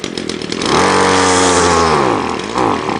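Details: Ryobi line trimmer whose head doesn't spin fast enough: after priming ten times, full choke and full throttle, it catches, revs up briefly with a rising buzz, sags, then dies within about three seconds.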